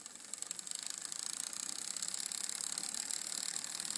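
Light, rapid clicking around ten per second, even with the pedalling, from the chain rubbing against the rear derailleur.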